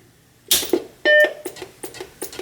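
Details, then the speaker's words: Macintosh Plus after full capacitor replacement, first power-up: single clean startup chime between a few clicks, repeated a couple times, then it appears to post; booting normally. "hey that is a startup chime it i could hear it doing the same thing a couple more times but then it looks like it posted"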